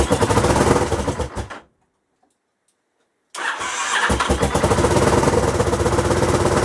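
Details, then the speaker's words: Honda XL1000 Varadero V-twin first start after work: cranks, dies, then catches and runs unevenly with a puffing, chuffing exhaust beat; known exhaust leak, blowing joint needs sorting. "uh yeah i'm definitely going to need to sort that exhaust out"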